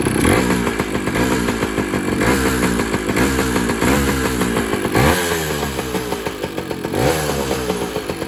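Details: 2000 Kawasaki KE100 two-stroke, just after a wet-clutch oil change: steady crackling beat with clean throttle blips rising and falling smoothly, healthy idle; clutch later slipped badly with the new oil, engine itself runs great.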